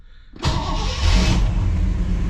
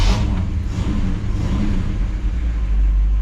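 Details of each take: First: 1959 Chevy Bel Air 348 V8 with Rochester 4-Jet carb, stone cold, choke set, after the accelerator pump was reassembled; before this it needed 15–20 seconds of cranking. It catches almost instantly and settles into an even rumble: quick cold start. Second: 1959 Chevy Bel Air 348 V8, Rochester 4-Jet, with the reassembled old accelerator pump squirting weakly, possibly a little flooded. Deep rumble with throttle blips that swell sluggishly and stumble on tip-in: throttle hesitation from a weak accelerator pump, which needs replacing.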